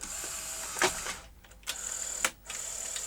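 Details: Sony SL-HF600 NTSC SuperBeta VCR, after a jammed actuator mechanism was pushed back into place: small motor whir and soft clunks as a tape threads and loads; loading is smooth and normal.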